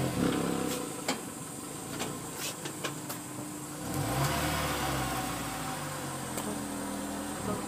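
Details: Honda S2000 droning hum while driving, a low drone under road noise from a bad wheel bearing assembly; replacing the assembly fixed the problem.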